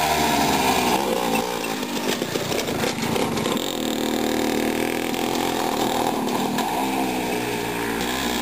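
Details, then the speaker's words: Old moped, a Jawa Mustang or Helkama Sport, running rough at fast idle with a raspy two-stroke buzz and uneven, wandering revs, likely a fuel mixture issue. "Tipumasin. Ma kurat, see sumpa teeb sellist häält nagu Freso, kurat."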